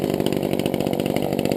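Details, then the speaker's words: Brand-new chainsaw just started, warming up at idle before any throttle, to be left 5–10 minutes so the piston lubricates: a fast, even two-stroke patter at a steady idle with no misses or surging. It runs healthy. "Faut que tu laisses un peu le temps qu'elle se réchauffe, qu'elle se lubrifie, les pistons et tout. Donc, il vaut mieux la laisser fonctionner à l'aise quelques instants."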